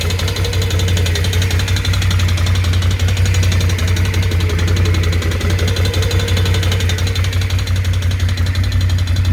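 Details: BRP Can-Am Outlander 650 ATV engine at idle: a regular knock, about three per second, ticking over a low engine drone. Internal engine knock, source not pinned down.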